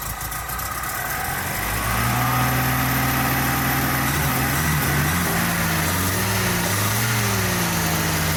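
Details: MGB GT restarted after about 12 months untouched in a garage, bonnet open: catches quickly and settles into a steady, even idle with smooth exhaust beat, no knocks or misfires; normal start and idle.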